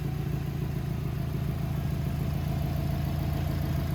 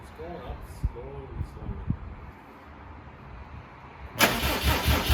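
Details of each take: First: 2007 Subaru WRX with swapped STI engine, after first start and a 15-minute break-in at about 2500–3000 rpm; steady, even low rumble at idle with smooth regular beat, no knocks or ticks; running cleanly. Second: 2007 Subaru WRX swapped to an STI engine, first start attempt; starter spins the engine at an even two-per-second beat for six seconds without firing; crank no-start because crank gear timed incorrectly (wrong marker suspected), so correct signal not seen.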